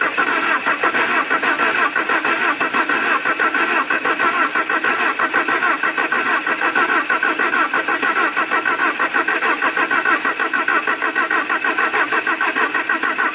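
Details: Alfa Romeo 147 Twin Spark, towed in for misfires, rough idle and hard starting, after new valve seals and timing belt work: engine fires and settles into an idle with an even pulse about 95 a minute, no stumble or miss; normal start and idle.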